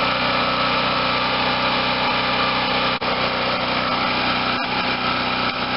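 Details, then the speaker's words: Garage-sale Wen 4050 generator after new carburetor and speed adjustment to about 60.5–61 Hz; engine tight and little used, no electrical work needed; high, steady drone holding even speed without surging or misfiring, sounds healthy. "well ladies and gentlemen finally one that was easy to fix didn't need any work on the electrical side and the engine was as tight as i was hoping it was going to be"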